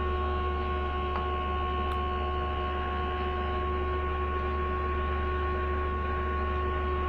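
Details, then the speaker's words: Radio that powers on but receives no medium-wave or FM stations: steady low hum with faint hiss, no voices or music at all; no station reception, before opening for repair. "इसकी आवाज़ आ रही है, ये on होता है। जिसकी आवाज़ आ रही है ये ऑन होता है, लेकिन इस पर कोई चैनल नहीं आते।"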